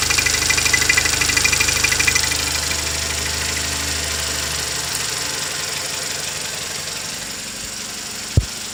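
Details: 2016 Toyota Camry 2.0 6AR-FSE with 22,000 km, idling with a light, fairly regular ticking knock about two per second over the run. Engine knock at idle, cause undetermined.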